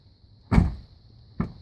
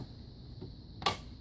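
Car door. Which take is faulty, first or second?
second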